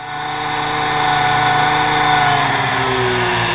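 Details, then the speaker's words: Nano lathe motor tagged 110 V, running through its controller board on a variac turned fully up at 120 V: whine drifts up and down, speed fluctuating; cause not confirmed. "got the variac turned all the way up i can hear it going up and down fluctuating"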